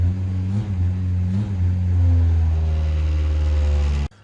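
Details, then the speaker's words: K20-swapped Honda Jazz/Fit, cold start: the engine holds a steady raised idle drone and barely lifts when the throttle is blipped, with rattles from solid engine mounts. Idles high and won't rev. "so as you can see first of all pardon the rattles them solid engine M are no joke but uh it idles really really high I'm that was on cold start anyway but higher than you'd expect and it wouldn't rev"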